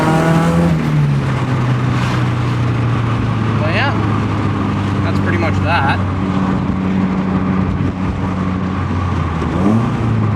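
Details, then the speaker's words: Nissan Silvia on a Link ECU, cold start not yet tuned, open exhaust with no muffler fitted. A harsh buzzing drone swells and falls with throttle, "like a swarm of angry bees"; a muffler is still to be ordered to quiet it. "then i'm going to order the muffler to make this thing quieter because it sounds like a swarm of angry bees taking flight as you can hear now"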